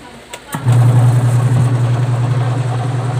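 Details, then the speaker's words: Washing machine after replacing weak capacitor with new American Home unit (previously only hummed, timer wrongly replaced before): click then strong steady low motor hum with no stalling; motor running normally. "Yan. Maandar na siya. Okay na. Malakas yan."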